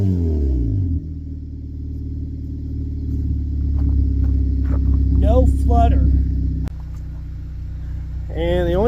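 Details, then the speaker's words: Honda with previous stutter, after injector work: revs up and settles smoothly with steady even note, no flutter or stumble. "And with that, the injectors are done. And it actually sounds a lot better. There's no more flutter."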